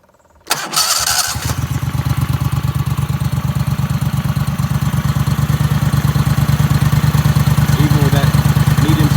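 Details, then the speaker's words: Briggs & Stratton Vanguard engine on a mud boat, with old dual carbs and a cam, started at the water on a lake. It catches quickly and settles into a steady, even low thump, idling smooth as stock: a healthy idle. "cam in it, idle smooth as stock. Sounds good."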